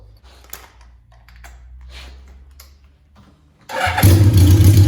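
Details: 1982 Suzuki GS650 Katana motorcycle with cleaned carburetors: starter cranks, then it idles with an uneven, lumpy beat, seeming to load up on a couple of cylinders; cause suspected, not confirmed.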